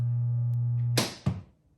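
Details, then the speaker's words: 1978 Williams Phoenix pinball machine at first power-on: loud steady buzzy hum around 120 cycles, cut off at switch-off; from the system speaker via the sound board, not the transformer. "So that loud hum you were hearing when the machine was on, it wasn't actually the transformer. The transformer does hum, but not that loud. That was the system speaker."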